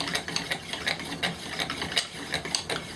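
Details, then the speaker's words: Friction drill spindle after breaking through the glaze; dry scratchy strokes at roughly 160 a minute with no squeal, the spindle biting properly and starting to smoke toward a coal; normal friction drilling. "so now we have friction so let's see how we do we're not just starting to fill getting some smoke"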